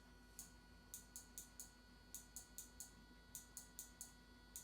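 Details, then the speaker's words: Car wiring, blinker on with tail lights off: crisp relay clicks in quick runs of about four as blinker also flashes tail lights and both sides; suspected backfeed needing working diode or extra relay. "and you can tell us the taillights because you can hear the relay clicking"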